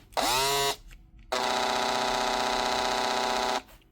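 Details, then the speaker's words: Makita DHP482 cordless drill with customer-burnt armature, before warranty repair: rough, harsh motor whine spinning up unevenly and buzzing coarsely at full speed, cutting out at high speed with a whiff of burning smell; fixed with new armature and brushes. "Perfect burnt out motor. That's what you expect to hear. If you keep going at high speed, this one's actually cutting out, but you'll normally get a bit of smoke coming out as well."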